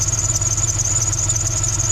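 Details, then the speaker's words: NBS Chevy stepside truck idling after retune: steady piercing high squeal over the engine's even hum; owner suspects the accessory belt, possibly a pulley, not confirmed. "i really need to probably get a new belt i don't know if it's my belt i think it's my belt it could be one of the pulleys"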